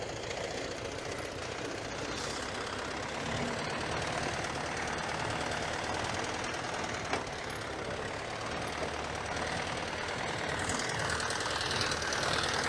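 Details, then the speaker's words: YuMZ-6 diesel tractor, not yet run in, ploughing very wet spring soil with a 2-body PLN plough: steady diesel under load, gearbox not whining or crunching, rear axle not whining; normal gearbox and axle under load. "як чуєте коробка не виє не хрустить сам міст теж не виє"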